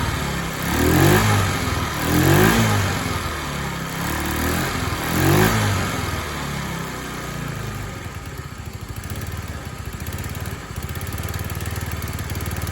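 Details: TaoTao 50 Chinese scooter, a discarded machine being revived, small two-stroke buzzes unevenly, surging every second or two then sagging, won't hold idle; carburetor and throttle linkage not yet dialed in, so rough running that stalls without throttle.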